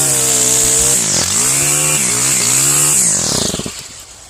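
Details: Stihl FS131 trimmer after cleaning the spark arrestor screen and carbon from the top of the spark plug hole, with a little oil added: crisp two-stroke buzz revving up and down several times, clean and responsive with no misses or sputter.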